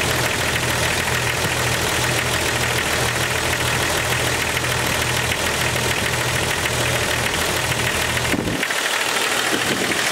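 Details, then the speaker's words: 1998 Jeep XJ, smooth cold idle with fast, steady ticking about three per second: valvetrain clatter, possibly a noisy lifter (suspected). The loudest clack on one cylinder reportedly stays once warm while the rest fade. "Here that will go away, but that loudest clack will stay on whatever cylinder that is once it gets to operating temperature."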